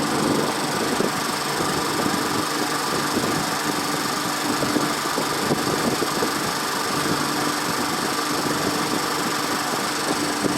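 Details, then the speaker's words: 1979 Triumph Spitfire that sat about 20 years, fuel pump not yet hooked up: steady starter churn with faint, uneven firing pops that never catch. It has good spark but doesn't start. "Well, you can hear it. So it's got good spark."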